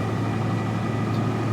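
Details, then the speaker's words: 1999 Toyota Tacoma 3.4 V6 after throttle position sensor replacement and throttle body removal, check engine light off: starts right up, steady even low hum with smooth exhaust, no misses, knocks or surging; normal idle. "truck started right up sounds like it's running [Music] normally"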